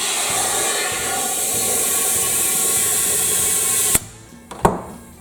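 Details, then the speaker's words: Lawn tractor rear tire inner tube, aired up to find leak: steady high-pitched hiss of escaping air through a puncture, located with soapy water. "I can hear it already so the way to find that leak is you gotta have some soapy water this is just water and dish soap"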